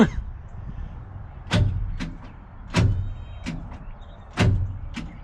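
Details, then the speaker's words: Abandoned 1963 Loadstar truck, cranked through a lawnmower key switch: a few heavy, widely spaced turns over about five seconds, well under one a second, never firing; engine not seized, but the starter seems to lack power; owner suspects the starter or the poor positive connection. "starter's trying watch the old fan up there the motor's turning enough that we know it ain't locked up i've seen it move quite a few times it's like the starter just ain't got enough uh junk in its trunk to umph this motor around"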